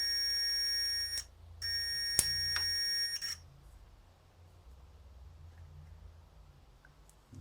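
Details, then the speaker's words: 1968 BSA Bantam ignition timing at 16° BTDC: meter across the points gives a steady high continuity beep, brief dropout, then cuts off cleanly near three seconds as the adjusted points just open; points closed until then. "so with this in we want it to just stop making that"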